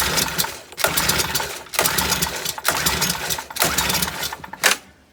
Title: No start leaf blower